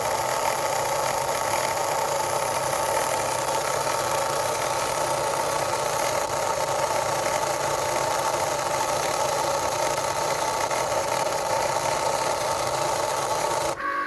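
Continuous rough, gritty drone with a faint motor whine throughout the run; the mechanism sounds like it's grinding, cause unknown.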